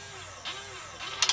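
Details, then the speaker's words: Sole elliptical resistance gear motor during a console-bypass jumper pin test: a faint hum, then sharp evenly spaced clicks as the motor tries to reverse and fails to pull the cable back; resistance motor bad. "So if you hear that clicking noise, also, I get a lot of complaints where they have a clicking noise. That is our problem. Our resistance motor is not pulling the cable back."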